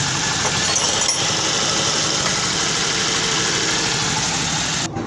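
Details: Honda CD 70 motorcycle engine making a harsh metallic noise when the clutch lever is pressed. The cause is a worn clutch release bearing, number 6000, which is being replaced.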